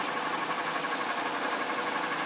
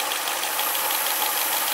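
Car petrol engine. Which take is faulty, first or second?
second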